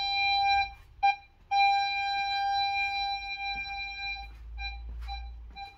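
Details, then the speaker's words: 2008 VW Polo 9N3 1.4 FSI (BUD), after replacing the faulty rear-left-middle parking sensor 7H0919275C: clean, steady mid-pitch beeps at a regular rate with quiet gaps; parking sensors now work normally. "Impeccable. Donc les capteurs fonctionnent bien maintenant. On entend bien le bip de fonctionnement. Donc c'était bien celui-là qui était en défaut."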